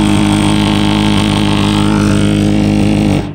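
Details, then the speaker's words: Lennox Pulse furnace with cover off, pre-purge blower stopped after ignition: very loud steady low droning thrum from rapid combustion pulses, stopping abruptly near end; normal pulse combustion running. "let's take this off here and then you'll be able to hear how loud it is so notice this is not spinning anymore"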